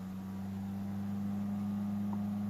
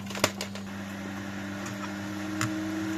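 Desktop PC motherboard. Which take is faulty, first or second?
second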